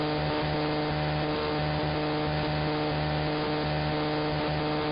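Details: Interference across the entire AM band: steady buzzing whine over static stepping between pitches every second or so, like a motor shifting stages; not apparently RF, owner suspects an electromechanical source, possibly the industrial park two blocks north.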